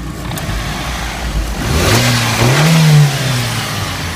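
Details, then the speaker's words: 1996 Mitsubishi Lancer Evolution IV GSR, right-hand-drive Japanese import, recent oil and belt changes: revs sharply and settles, with a faint rising turbo spool whistle and no blow-off sound from the stock valve. Normal rev with turbo spool. "so you can obviously hear the turbo spool this is where the uh blowout valve is so obviously a stock blowup valve so it doesn't make that sound"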